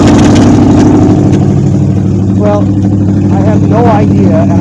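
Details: 1953 Ford Customline with swapped 350 Chevy V8, open pipes, idling fast and loud with uneven lope instead of settling; carburetor bad out of the box holds idle high. Cause unclear, vacuum leak doubted, rockers adjusted by hand.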